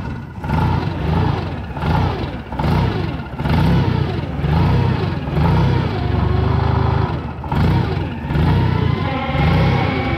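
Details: Toyota propane forklift engine idling rough and uneven, note rising and falling about once a second from incorrect gas mixture; fixed by turning the adjustment knob on top of the gas regulator.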